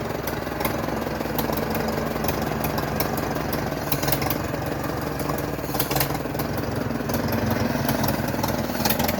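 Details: 1942 Farmall Model H petrol/paraffin tractor with single front wheel, restored long ago then left standing for many years, on its first start in years; idles with a slow, loose, even putter under outdoor clatter without stumbling. Normal idle.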